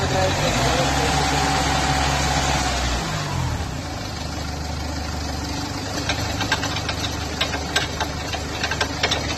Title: Ford figo abnormal noise while turning time/ drive shaft repair/drive shaft bearing replacement